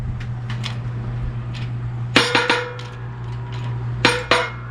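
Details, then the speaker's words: 1966 Mustang rear axle bearing pressed on with a 20-ton press (about 5,000 lb force): steady low hum with scattered creaks, then sharp pop-and-clunk bursts, the last pop meaning the bearing is fully seated. "Oh, did you hear that? That last pop. That was it. It's all the way down."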